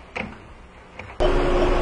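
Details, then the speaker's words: Sporty car with nearly discharged AC, low pressure switch bypassed so the compressor runs: electronic leak detector beeps twice then squeals loudly and rising as the probe nears the leak; refrigerant leak detected. "Well, hopefully you can hear it beeping. And indeed, as I get closer to where that leak was. Well, check that out."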